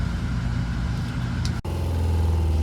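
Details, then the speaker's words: Newly replaced RV water pump running after reassembly: steady low electric hum with a brief dip while building pressure, shutting off by itself at set pressure; good running pump. "All right, so you should hear that pump, right? And it'll go off by itself once it reaches a certain amount of pressure."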